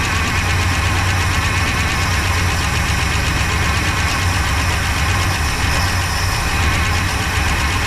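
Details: 1966 Pontiac Grand Prix, 389 CI, automatic, barn find unused about 30 years, first start on slight throttle with little fuel: lumpy idle with irregular knocking, missing beats and clatter, runs rough with chewed spark plug wires; fuel pump not pulling.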